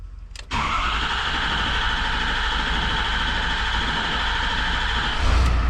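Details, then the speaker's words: 2016 Ford F350 6.7 Power Stroke diesel, 669,000 km, just fitted with S&S DRC pump conversion: short crank to prime rails, then catches and settles into steady, even idle with no misses or knocks; normal start. "somewhat that too bad it's running get uh she's running she's fired up there we go"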